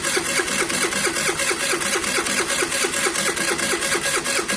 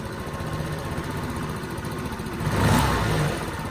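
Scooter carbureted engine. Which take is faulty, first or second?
first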